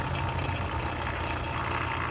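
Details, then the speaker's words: A/C vacuum pump evacuating a Ford Escape A/C system: steady, even motor drone with light rattle, little gurgling and no pitch change, indicating probably no leaks; normal vacuum pump running. "so now we basically have our system vacuumed out even though my gauges look junky they actually work really well from this old vacuum pump you notice the noise that"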